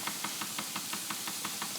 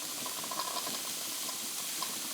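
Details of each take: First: Wilesco D20 toy steam engine being reactivated after sitting unused: sharp, even knocks about six a second over a light hiss while running in one direction. It runs much quieter when reversed at about the same speed. Knocking, cause unconfirmed. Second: Wilesco D20 toy steam engine, reactivated, safety valve lifting at max pressure, running counterclockwise: soft even steam hiss with faint regular chuffing, slightly quieter than clockwise, possibly a valve-timing quirk; normal smooth running.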